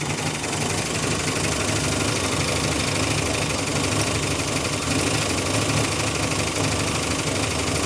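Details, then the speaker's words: 1974 Dodge Monaco big block with automatic, first start after sitting for years: loud uneven idle with steady lifter clatter quieting as lifters pump up; heavy misfire, suspected timing or spark plugs, not wires; unconfirmed. "Woo, we got a clatter. Yeah, it's pretty noisy. Sometimes these Dodges, it takes it a while for the lifters to pump up fully, but it's getting there."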